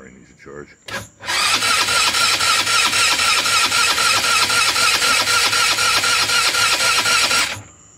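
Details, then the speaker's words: GY6 scooter (Eagle/Jonway/Roketa) with rebuilt engine (new head, piston, cylinder kit, new carb), first crank after rebuild: steady starter whir with even pulses about four a second, turning slowly, never catching; run switch left off, battery low. "Switch on? No. Dummy. That would help. It would help if you turn the run switch on, Jimbo."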